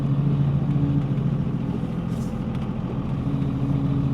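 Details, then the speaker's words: Cummins diesel truck with freshly rebuilt NV5600 six-speed manual, first drive, in third gear: steady low diesel drone with even gear hum, smooth clutch, no grinding or clunks; normal transmission operation. "shift to third clutch and gaug is really smooth and this transmission's feeling amazing so"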